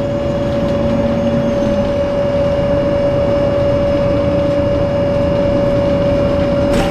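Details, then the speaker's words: Dan city bus 92-001-01 driving on Sderot HaHagana, Haifa; steady high whistle at one pitch over engine and road rumble, abnormal unpleasant engine noise, source unknown. "צלילי מנוע בליווי שריקה רעש מנוע חריג"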